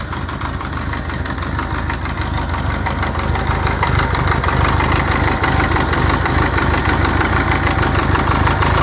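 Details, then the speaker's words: 1984 Honda Goldwing Aspencade flat-four, restored, cold idle without warm-up: steady, even low burble with soft regular patter, no misses or knocks; runs well. "okay so here's there's the bike running it's cold i haven't warmed it up at all"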